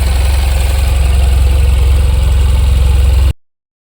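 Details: Tata BS6 petrol engine, held running to warm up for a radiator fan check: steady, even low thrum with a smooth regular pulse, no misses, knocks or rattles; normal stable idle.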